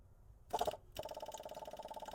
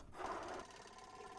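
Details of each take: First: 1977 AMC Matador, newly fitted small electric fuel pump wired straight to the battery: rapid, even ticking about twenty clicks a second after a short buzz; the pump does not seem to be working or priming yet. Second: 1977 AMC Matador coupe, draining contaminated tank: small electric pump powered from a battery charger gives a faint even buzzing whir with steady good flow; pump running normally.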